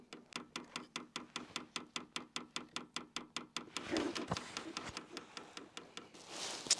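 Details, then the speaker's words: Hcalory Toolbox portable diesel heater, first use, priming the fuel pump by holding up and down arrows; steady ticking about 2.5 clicks a second with no fan or burner yet, pump stops on release; normal priming clicks. "And the way you prime the fuel pump is just simply you push the up and the down arrows at the same time and you hold them in, and you'll hear the fuel pump start to click."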